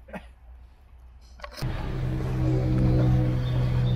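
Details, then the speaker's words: Abandoned bullnose white cabover semi with a 290 diesel (not a 903), parked about 20-23 years, cranks with a steady low whirring crank at about four pulses a second but never fires; it's smoking and getting fuel yet won't start. "It wants to, man. What are we not doing? It's smoking, it's getting fuel, it's just been a while."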